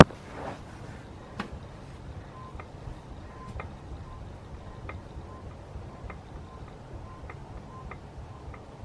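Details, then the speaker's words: BMW rear, rear wheel rocked by hand: faint dry clicks about once a second from play in driveshaft; owner suspects worn outer CV joint at wheel end, not the diff; clicking when wheel rocked. "now i can actually hear a clicking a little bit more investigating this wheel i think my hunch was right i think it is this uh outer cv joints"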